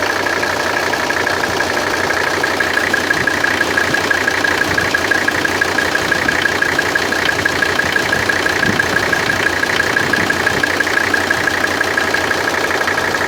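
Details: 1984 Mercedes 300SD 3.0 5-cylinder diesel at idle: steady, even clatter of about two knocks a second over a sharp ticking tone; cause unknown.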